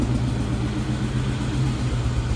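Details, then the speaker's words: Cobra Mustang with a new ported supercharger, at first start: lumpy idle with a deep rumble that keeps stumbling like a dropped cylinder; the laptop shows an exhaust cam position actuator circuit code and a Bank 2 issue, and the connector was just replaced. "so that sounds like it's missing"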